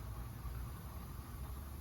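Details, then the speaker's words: International truck diesel at idle after engine swap (original overheated from a coolant leak): low, quiet, even rumble with no knocks or misses; no leaks or overheating, air heard leaking from a faulty air valve. "um yeah so it's looking good motor's running good we got no leaks no overheating um none of that crap"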